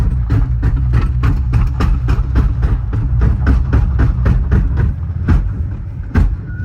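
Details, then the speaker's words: Audi S6 with a V10, manual-swapped, with a welded rear diff, on the lift under load; heavy low clunks hammering about four times a second like a sledgehammer underneath, and it won't drive in first or reverse: blown rear differential. "sounds like somebody's down under with a sledgehammer beating on [Music] it oh that's so bad"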